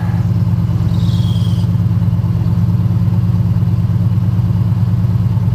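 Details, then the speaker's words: 1972 Ford F-100 V8 cold-started after sitting a month, on a hot day of about 100°F: an even, deep idle with a steady firing pulse and no knocks or misses, starting first time and sounding healthy. "truck's been sitting for a month cranked over first time sounds good I'll tell you that"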